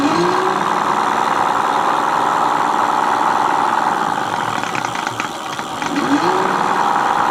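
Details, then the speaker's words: Mate X 20x4 fat-tyre e-bike hub motor on PAS4 after packing gears with Vaseline: steady mid-pitched gear whine with gritty edge; quieter with more grease but still noisy, cause unconfirmed. "So as you can see, it is quieter with more grease in it."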